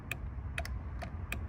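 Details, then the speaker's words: 2000–2006 Chevrolet Tahoe driver's front window: relay clicks sharply with each switch press, confirming power, but no motor hum; window motor has failed, replaced with motor and regulator. "you can hear the relay clicking, which means there's power on there, and all the other ones work, but they are also giving out."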